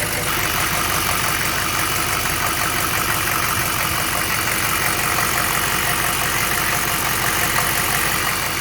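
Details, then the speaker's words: 1996 6.5L Detroit diesel after new reverse-flow water pump and harmonic balancer, run briefly without fan to check for leaks: steady even idle clatter, no knocks, misses or squeals; sounds good. "Does she sound good or does she sound good? Man, she sounds good."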